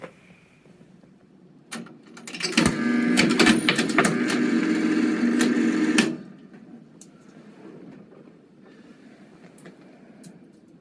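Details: Cavalier CS-96a Coca-Cola machine, NRI Simplex 2 coin mechanism being repaired: a quarter rattles through with a few seconds of loose metallic clatter and no vend clunk; the solenoid did not unlock, and wiring issues are suspected.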